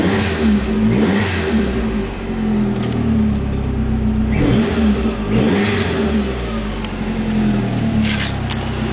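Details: 1995 Dodge Neon ACR with a complete 2004 SRT4 swap: engine, transmission, wiring harness, PCM and fuel system. Steady idle with several clean blips rising and falling smoothly, no knocking or rattle; normal revving.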